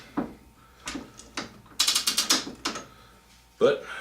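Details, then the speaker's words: Used Phase 2 5C collet indexer from a scrap barrel, turned by hand: irregular clicks and short ratcheting bursts with stiff movement; probably needs disassembly, cleaning and lubrication. "You can hear it clicking in there. Seems to be just kind of tight, so it probably just needs tore apart, cleaned up, and lubed."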